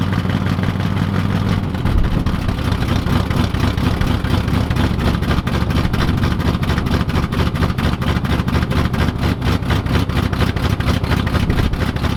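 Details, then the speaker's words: 1986 Camaro IROC-Z V8 cold start after the electronic choke, previously hardwired wide open, was adjusted; it settles into a fast, even cold idle with a steady pulsing beat and no misses or knocks. "So you can hear the car running in the background right now, and the only thing I really did to get this working with the cold start is got the electronic choke actually adjusted and set up, because prior to me touching it, it was actually hardwired wide open."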